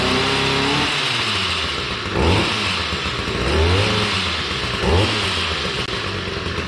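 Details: Stihl tiller small single-cylinder engine, abandoned and unrun for years, first run after revival with added gas: three quick rev bursts that drop back each time, running without stalling; sounds healthy.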